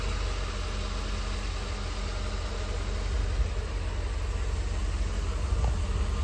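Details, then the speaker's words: 1988 Mercedes-Benz 560 SL, warming up after a cold start, water temp just starting to rise, oil pressure still great: low, even hum with a steady beat and no knocks or ticks, a smooth normal idle. "Starting to get a little bit of water temp. Still great oil pressure and an idle, very smooth."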